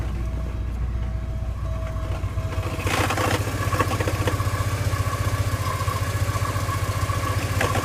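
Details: 1987 Porsche 944 at idle: rough, gritty grinding from the clutch/bellhousing area after startup, seeming better with the clutch pedal pushed in; source unclear, possibly the clutch release side.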